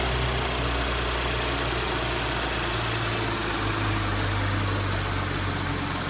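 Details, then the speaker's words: Audi B9 S5 convertible at 58,000 miles after rocker arm replacement, walnut-blast intake valve carbon cleaning and water pump replacement; smooth even idle with a steady low hum and no top-end ticking or tapping, healthy. "The car's fine. It drives perfectly. It boosts well. There's no tapping or anything like that."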